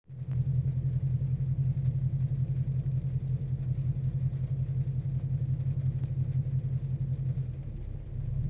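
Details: 2014 Mustang GT V8 at about 22k miles, idling: smooth ~700 rpm then periodic drop to 500 with shudder and spike to ~1000, every 30–45 s, coinciding with cooling fans switching on; cause unclear.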